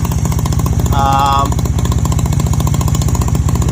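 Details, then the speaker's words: Honda CB250 Nighthawk, 11,000 miles but not the original engine, idling after an attempted exhaust leak repair: a sharp, even tick rides each exhaust pulse, a leak at the manifold that is better than before but still present; owner says it is not running 100% and may need a carburetor rebuild. "i mean you can still hear that exhaust leak so that is still"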